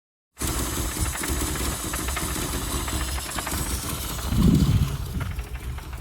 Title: Austin 1100 - rough idle and not revving